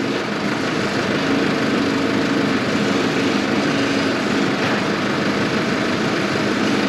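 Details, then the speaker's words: Volvo V50 2.0D exhaust at idle after repair work: thin papery buzzing, owner suspects DPF or catalytic converter; damaged flexible braided joint between catalyst and DPF and cracked intake hose were found. "to słuchać to takie dziwne jakieś takie brzęczenie jakby trwał DPF albo katalizator"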